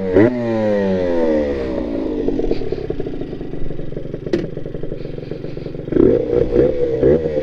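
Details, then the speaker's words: Honda NSR80 two-stroke, test ride after head gasket replacement (coolant had been entering the combustion chamber, wetting the plug and stalling at full throttle): crisp revving up and down through the gears, no bogging or misfire; runs very well. "yeahyeahこれはねーかなり調子いっすよ"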